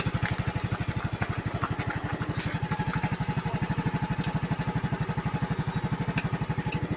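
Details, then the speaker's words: Yamaha scooter after flood water entered via the wet air filter, idling with warm carburetor: steady even thump about three per second with faint roughness. A noise is heard; water suspected in fuel and oil, oil change needed, cause unconfirmed. "So may narinig tayong tunog. Kailangan to change oil."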